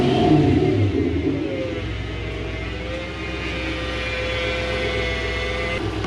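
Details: Toyota 1UZ V8 freshly refitted in a Toyota Hilux Xtra cab conversion, running after fuel pump priming; steady even run with smooth rises in revs, no knocks or misses: normal.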